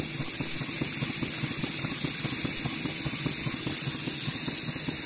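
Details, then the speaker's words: Waverley 5-inch gauge 4-4-2 North British Atlantic steam loco (Martin Evans design, Stevenson link motion), newly built, first steam test: steady hiss with chuffs about two a second and a breathy wheeze each stroke; lubricator apparently oiling only one side, other cylinder likely dry. "think there was a slight problem with the uh lubricator it seemed to be only lubricating on on this side what we're looking at now and no oil seems to be getting to the other side and hence the wheezing sound"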